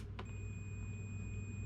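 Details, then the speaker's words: Multimeter continuity mode, probes touched together before testing a Yamaha YFZ450 quad's starter switch: steady high-pitched beep starting on contact and holding unbroken; normal continuity beep, tester working. "then we have the beep still see the beep sound that's what you want to hear"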